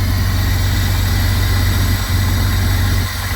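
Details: Jeep six-cylinder idling after ultrasonic injector cleaning and finding corroded #6 injector plug; deep, steady idle with no misses, stumbles or ticking, running smoothly; rear injector thought to have not been firing before.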